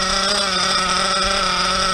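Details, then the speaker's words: Small nitro RC engine holds a fast, steady buzzing high idle after the idle screw was turned up about 2/16, and re-adjusting the low is planned. "It's starting to get pretty high right now, right, my dudes? It's a high idle."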